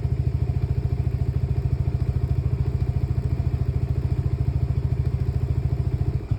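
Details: Lexmoto Nexus 125cc motorcycle with faulty fuel-to-air mixture readings during misfires: low, thumping single-cylinder idle at about 200 beats a minute with an uneven, stumbling rhythm; engine misfire.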